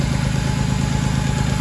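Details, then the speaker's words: Fiat Argo Firefly engine, cold first start with exhaust smoke and whistling noise rising when clutch pressed: deep lumpy throb at idle; crankcase ventilation (PCV) diaphragm under cover found torn, suspected cause of noise. "Aí, pessoal, tirei a tampa do filtro de ar, tirei essa tampinha que fica aqui para ter acesso a essa membrana diafragma, né, do do sistema antiema do carro. E está rompido, ó, pessoal."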